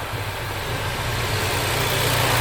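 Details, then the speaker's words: Flood-salvaged Ford Focus RS turbo rebuild, first start after an oil flush, warmed up: a steady, even idle with a deep exhaust burble and light crackle, a normal warm idle. "she sounds amazing I just listened to that crackle"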